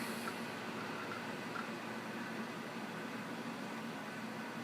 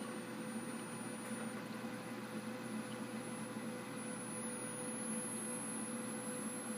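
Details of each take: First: Dell Optiplex 760 (Core 2 Duo E8600) running after its coil-whining power supply was replaced with a Dynex 400 W unit: a soft hiss, faint hum and hard-drive chatter with no whine left, quiet and healthy. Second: Dell Optiplex 760 (Core 2 Duo E8600) with a bad power supply, heard as the unit switches off: piercing high-pitched coil whine over faint fan hiss, rising slightly. The supply was replaced with a Dynex 400 W unit.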